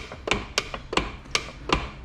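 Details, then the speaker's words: Ford Mustang with coilovers, wheel on, jacked slightly on wood and rocked by hand: sharp clacks about every 0.4 s in step with rocking, a thump that happens infrequently and predates the coilovers; owner suspects a suspension boot, cause unconfirmed. "so i put the wheel back on i put this piece of wood right here i jacked it up a little bit and i i'm kind of doing this but it does not happen that frequently"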